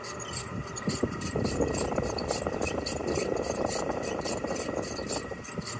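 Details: Chiltrix CX30 heat pump outdoor unit, about 7 years old, first-time noise: loud high-pitched squeak repeating about three times a second from the cooling fan area.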